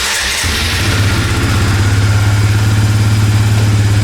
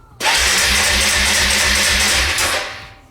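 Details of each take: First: Suzuki Eiger ATV single-cylinder after a carburetor rebuild, started with choke: catches on the first try and settles at once into a steady, even idle with good throttle response; running great. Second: Suzuki Eiger ATV, cranking without choke: the starter spins the engine in a steady rhythmic whirr for about two seconds but it never fires; could be spark or fuel, not confirmed.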